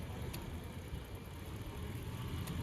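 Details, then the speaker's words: Toyota Land Cruiser, 2UR petrol engine, which cranked but wouldn't start after running out of fuel; faulty EFI relay replaced: low, soft, even idle with no knocking or missing; runs normally, ABS lights cleared. "Change करने के बाद गाड़ी बिल्कुल ओके हो गई है। माशाल्लाह ये जो आप चेक कर सकते हैं गाड़ी स्टार्ट है।"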